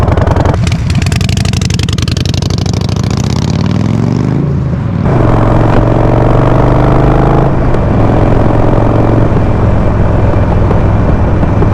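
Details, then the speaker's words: Harley-Davidson Sportster 48, Stage 1 on the stock PV4 map, riding past: V-twin roars by with a crackle of pops in the exhaust each time the throttle closes; backfiring on overrun, owner suspects too much fuel with the stock map. "see like every time I let go the throttle it just pop up and sometimes it's just really loud popping see like it's just constantly popping it's just too much fuel with the stock map"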